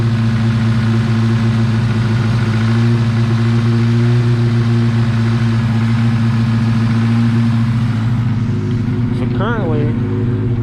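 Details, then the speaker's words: 1986 Honda Civic, carbureted, cold on choke, air cleaner off: steady raised idle hum with even firing beat, no distinct hiss; broken, leaking vacuum ports, one on vacuum block broken off and plugged; cold fast idle with vacuum leaks. "the choke is working and uh idling the car up as it should but i have a few uh vacuum ports that are leaking and broken so i'm going to address that"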